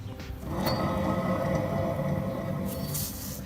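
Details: Chery Emgrand with a front wheel spinning during front suspension repair: strong, steady, grainy droning hum from a worn hub bearing.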